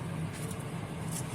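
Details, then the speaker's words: Two-door fridge with a not-cooling fault, freezer cover removed: the evaporator fan gives a low, steady hum with no rattle or scraping, so the freezer fan is working normally. "kita bisa melepas keseluruhan jadi untuk fansnya normal ya bekerja"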